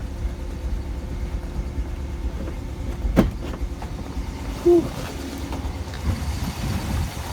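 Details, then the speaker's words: 1959 Ford Fairlane 500 Galaxie Skyliner idling with the hood being opened: a low, even V8 rumble with no knock or miss, plus clunks from the hood. The phone mic exaggerates valve-train noise; the engine runs smooth and well. "my phone does pick up small engine and valve train noise so goes get that a little bit more than you would in [Music] person the motor is definitely for blue like I said it runs pretty good"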